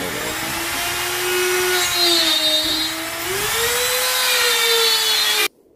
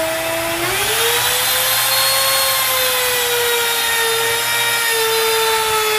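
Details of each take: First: Grizzly T27139 quarter-inch laminate trim router with plunge base, about 4 months old, cutting a circle: steady high whine sagging with load, then abrupt cut to silence; switch and speed control did nothing; intermittent motor cut-out, warranty issue, cause unknown. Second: Grizzly T27139 quarter-inch trim router, about 4 months old, with a brand new bit at full speed in scrap hardwood: whine climbs on spin-up, then holds even and smooth through the cut; normal operation.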